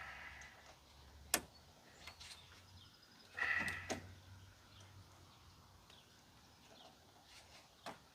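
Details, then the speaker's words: Chevrolet Astro van after replacing the passenger door lock actuator: sharp clacks and a burst of rapid clatter from the door lock; new actuator works but something still chatters badly. "still sounds like hell that is insane okay that needs to get fixed but at least now we know that the door actuator works"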